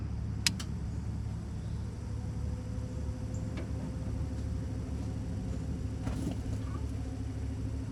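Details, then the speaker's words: 1996 Ford F-250 7.3L diesel, cold after sitting overnight, started after the burned, stuck-closed glow plug relay was dealt with. Steady, even low rumble with no misses or knocks; a normal start, and the glow plugs appear to have survived. "It's looking good, so it looks like the glow plugs might have survived their their extended stay."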